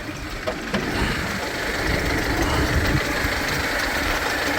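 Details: Used "Dolphin" commercial van, no leaks: just after start-up diesel settles into even steady clatter with no odd knocks; normal healthy idle.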